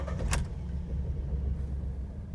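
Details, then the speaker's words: 2012 Ford Mustang 3.7L V6, 70,000 miles, just started, check engine light on, hard starting, gas smell from the exhaust, lack of power: uneven, lumpy low rumble. Misfire and rough running. "check engine light is on runs like crap i had trouble i actually had trouble starting it to bring it into the shop it was like uh it was almost like if the engine was hydrolocking itself and i smelt i smell gas"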